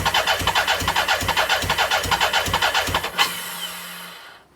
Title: BMW K100 no start 2